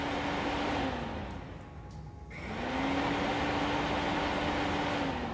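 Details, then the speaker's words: 2002 Honda Magna VF750C being checked for overheating; radiator fan temperature sensor unplugged and its lead grounded with key on, fan kicks on with a steady whir that sags then spins back to an even hum: fan works normally. "all right then we're going to turn the key on keys on and the fan should automatically kick on as soon as I touch it to bare metal or or ground right here"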